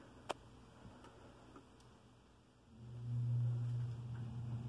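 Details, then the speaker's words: Central AC start-up after replacing the air filters, which had caused a popping noise every time it turned on: faint click, then a low blower hum swells smoothly with no pop. "i don't know if you heard the noise but i just turned it on and no more popping noise"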